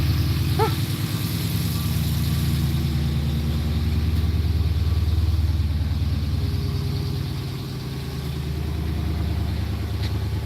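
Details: Dodge Magnum just after starting, with its battery plugged in for about a week and not drained: a deep, even V8 burble at steady idle with no misses or knocks. It is running healthy.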